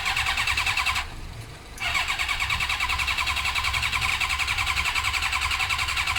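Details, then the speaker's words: Suzuki GSX-R with clutch lever strapped down cranks at about 3.5 beats a second but never fires, even with spray into the carbs; no spark, later fixed by fitting an original ignition unit with the resistor. "I'm pretty dead set at this stage Tyson sparking because we're spraying stuff in the carbs straight into the engine and it's not doing anything so next thing to check on this bike would be spark"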